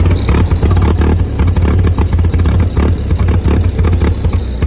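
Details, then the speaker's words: Old Ford 2N tractor with badly worn spark plug wires, carburetor to be checked: low uneven chugging with ragged stumbling beats and loose clatter at idle, then it dies and won't restart; rough running, cause unconfirmed. "There we go. Yeah, there it was. Nah, it sounds awful."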